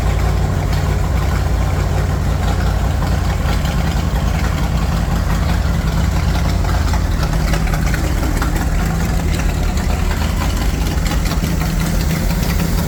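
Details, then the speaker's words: Chevy 350 V8 in a Wide Gauge Bombardier after a tune-up and an oil and filter change, with long-unchanged black oil drained: deep, steady idle with an even low rumble and no tapping, misses or hunting; running smooth and clean. "Running smooth, running clean. Once it gets gas, then it's good."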